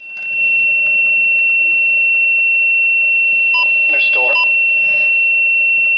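A steady high electronic tone with short irregular chirps and warbles layered over it; the receiver is beeping oddly for no clear reason.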